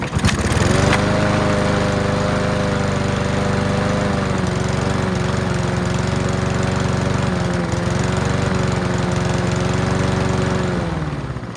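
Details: Free Honda walk-behind mower, first start before major work, run on choke with fuel in the carb bowl: steady even engine note, no misses, knocks or hunting; seems healthy but still needs plug clean, throttle cable check and fuel lines.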